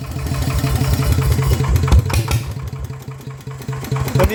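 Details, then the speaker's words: Yanmar 150 single-cylinder diesel upgraded to a 100 mm piston with a No.1+ valve-relief cam and new valves, running after the rebuild: slow, steady, even thump with no valve-train tapping; the cam is quieter than usual, healthy. "ตัวนี้ไม่ค่อยดังเท่าไหร่นะแคมอ่ะงมันจะเงียบคไอปกติมันจะต้องแกกๆๆแรงนะเเอันนี้เบาหน่อยนะครับ"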